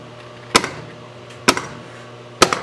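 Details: Williams System 6 Scorpion pinball with a repaired driver board (bad transistors), in solenoid test: the pop bumper solenoids give three sharp, crisp whacks about a second apart in a quiet room, firing properly: normal.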